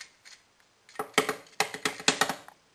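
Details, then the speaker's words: Refrigerator's old compressor overload/start relay shaken by hand after the replacement parts arrived: loose fragments clatter in quick, uneven bursts because the relay is broken and burned inside, and pieces fall out. "And you can tell that this is the part that's broken because listen. You can hear the pieces rattling around."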